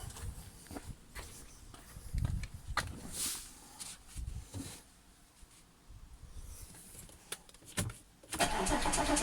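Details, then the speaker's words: Audi S4 B8 3.0T supercharged V6, first start after repair of P0018 bank 2 timing chain that jumped a sprocket: brief light chatter over rough idle that quickly fades; tensioners had no oil yet, rattle until oil pressure builds. "crossed oo I'm glad that noise went away quickly there's no oil in the um tensioners or anything"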